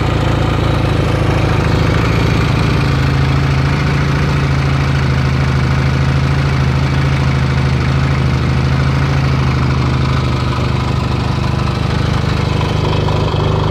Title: Yamaha XS650 1979 - engine run after rebuild